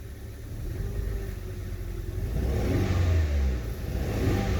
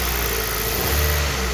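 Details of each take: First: Hyundai i20 Mk1 revved, engine misfiring: rough, uneven revving with a stumbling low pulse, whole engine vibrating, lacking power, high fuel consumption (7.6 shown vs about 5.7–5.8 normal); spark plugs, coil packs or compression loss being checked. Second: Hyundai i20 mk1 petrol engine revving smoothly and evenly with good power after misfire fix, no stumble or miss; normal smooth engine rev.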